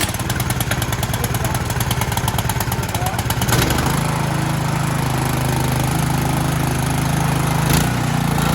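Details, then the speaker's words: Cub Cadet 2X26 snow blower (model 31AM5CVS756), 675-WUB single-cylinder engine, started on choke at half throttle after carburetor work: catches and settles into an even putter; idle speed slightly low. "Depending on how cold it is outside, you may have to warm it up at full throttle, or no, 3/4 to full throttle to warm it up, and then the idle should work. Idle's a tick low, and as it tight."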